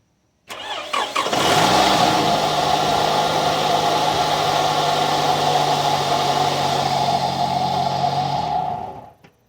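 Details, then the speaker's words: Toyota RAV4 after starter replacement and broken plastic T water pipe fix, coolant not yet refilled: short brisk crank, engine fires and holds a smooth steady idle; starts with no problem. "as you already saw i already turned on the engine and it's turning on with no problem"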